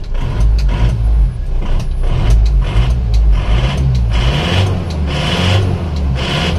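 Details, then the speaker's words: Isuzu Panther diesel, just started on a cold morning, smoke from the oil filler cap and dipstick: loud, hard clatter at idle with sharp regular knocks over the rumble, truck-like; mechanic feels injection pump timing is too far advanced. "Saya merasakan timing bospom terlalu maju"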